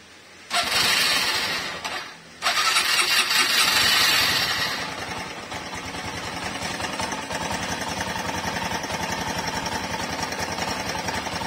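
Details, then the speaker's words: Honda MegaPro motorcycle with a rough-running single-cylinder engine: loud, busy metallic top-end clatter at idle and on a brief rev. The cam chain was long unreplaced, stretched, and rubbing the cylinder block wall, with oil seeping out. "motor ini mesinnya kasar dan saya perkirakan itu adalah suara rantai keteng atau rantai kamprat ya"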